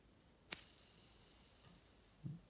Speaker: The bearings are spin a lot more free than if they had grease in them. So that's what you want.